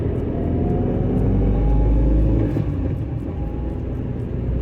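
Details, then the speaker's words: Maruti Suzuki Eeco 2011 van on petrol, pulling away slowly: steady low rumble with a faint drone from the rear silencer; louder when cold, cause not pinned down. "इसमें CNG है तुलना में थोड़ा सा आवाज़ की दुकानशोर आ जाएगा। तो देखो। . अब देखिए। थोड़ा जल्दी आवाज आई। गया।"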